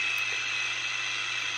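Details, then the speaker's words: 1958 EverReady SkyLeader AM radio with three transistors temporarily soldered in: constant hiss with a faint low hum and no station tuned; receiving poorly, cause still unknown. "I get some noise and some more noise it's sounds like it's trying to do radio things"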